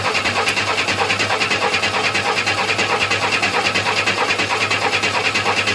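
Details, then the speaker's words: 1962 Chevy II with a new Precision fuel pump just fitted and the coil unhooked: even cranking at about three turns a second to check fuel delivery, never fires. "so far nothing"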